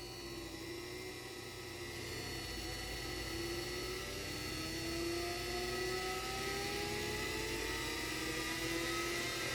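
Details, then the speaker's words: 3D-printed axial-flux BLDC motor on an Arduino controller, first test run: rising, gliding whine climbing with motor speed over a whirring hum; the tone is the speed controller switching and it works well. "you can hear the speed controller speed control is working good"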